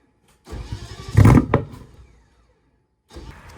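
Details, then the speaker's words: BMW E30 with M60 4.0 V8 swap, external fuel tank, ECU connected; starter spins under two seconds, no firing. Owner suspects knock sensors or bad ECU. Crank no-start. "I still have no idea I'm starting to think it's the knock sensors or the ecu's bad I really can't think of anything else"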